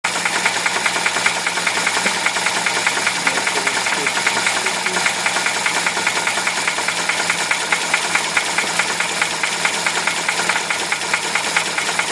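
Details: UZAM-412 engine at idle with a rapid, regular metallic knock keeping pace with the engine; a clear internal engine knock.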